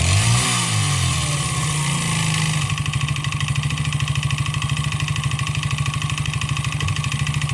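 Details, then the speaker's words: 139QMB 50cc single with a deliberately shortened piston skirt and sanded cylinder. As the revs drop, a hollow rhythmic slap at about three beats a second rides the idle: piston slap from excessive piston-to-cylinder clearance. "Patrzcie jakie to ma luzy więc na pewno usłyszymy ten dźwięk setup i sprawdzamy jak brzmi Piston Slap"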